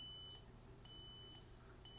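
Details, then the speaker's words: Honeywell Lyric security panel with the burglary alarm sounder option set to no: the fire alarm sounds a temporal-3 pattern (three short high beeps, a pause, repeating) at very low volume. "You can hear, instead of the steady burglary sounder, you have the temporal pulse three, which is the industry standard for fire, the beep beep beep with a pause, and then a repeat. But you can here again that it's very, very quiet."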